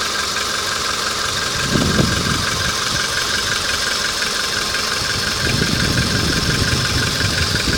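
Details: VW Polo engine at hot idle; irregular light knocking about three beats a second over engine hiss; engine knock, cause not identified.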